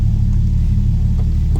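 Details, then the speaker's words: Nissan Skyline R32 GTR RB26 after R35 coil conversion (PRP bracket, new subharness), first start: strong, even low rumble at steady idle with no misfire or stumble; runs cleanly, though the car is still slow for unknown reasons. "Time to start it. And as you can hear, we're running now. I'm not even in the car adjusting the idle."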